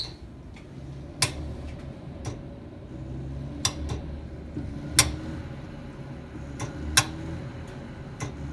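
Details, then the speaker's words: Home gas meter and pipes clicking at random times, persisting after meter replacement: sharp clicks every second or two while furnace fan surges and sags as if starved for gas; after clicking stops furnace runs full; cause unknown. "So now if you listen to my furnace, it'll sound like it's kind of being starved for gas."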